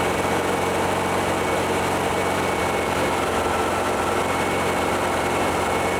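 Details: VW-based Porsche 356 Speedster kit air-cooled engine, warm test after remote oil filter over-pressurization repair. Oil pressure holding about 50 psi then down to 40–45, no leaks, oil cooler warm. Smooth, unchanging idle with no knocks or misses; healthy.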